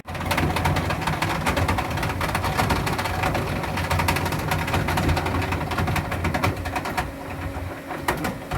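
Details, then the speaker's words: Gas pool heater firing with roaring burner, thermostat calling for heat from about 75 to 104, clatters and clanks loudly, then flame goes out and it quietens; it restarts itself after about a minute. "There's the clattery, clanky noise, and the fire went out."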